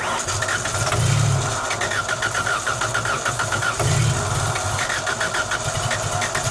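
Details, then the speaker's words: 1990s Genie Z45-25 man lift engine on second start attempt, running on propane, with MAP sensor pipe and intake air temp sensor missing; runs roughly, surging up twice in uneven revs instead of idling, then cuts out. "Yeah, it was doing revvy things. It was doing a revvy revving thing. Why does it cut off like that?"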